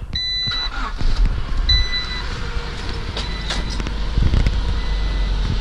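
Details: Honda B18B1 turbo EF hatch with a newly extended and welded muffler: deep, steady exhaust rumble at idle with no rattles or leaks. Normal idle.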